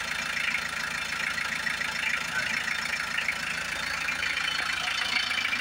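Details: Hyundai H100 with D4BB diesel engine, idling right after a top overhaul done for a noisy engine and weak pulling: even, fine clatter at about 207 beats a minute; the former loud knocking is gone; normal idle.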